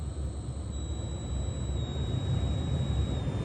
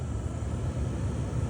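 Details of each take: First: Honda Element with a used aftermarket blower motor already swapped in: a steady high whistle like AM static over the blower's airflow on fan speeds 1–2, changing with speed and gone on high. Caused by a faulty speed-control transistor. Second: Honda Element blower motor at mid speed after replacing the blower resistor/transistor, previously whistling: steady, low airflow rumble, no whistle or whine.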